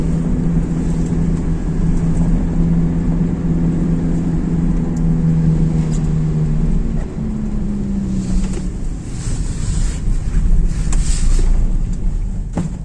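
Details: Raised driven wheel (rear wheel chocked) spun by the running engine in 4th gear, in winter with possible snow and ice hitting the arch liners: a steady low drone that shifts pitch with speed. A possible hub bearing hum.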